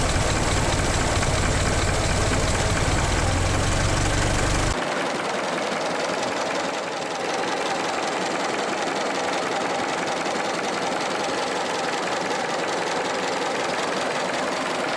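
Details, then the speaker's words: 1918 Ford Model T just after radiator repair and coolant refill, started up: a loud crank and catch, then a steady, somewhat rattly idle at about three beats a second with no knock or miss; normal start and idle. "So, we're going to start it up and make sure everything still works."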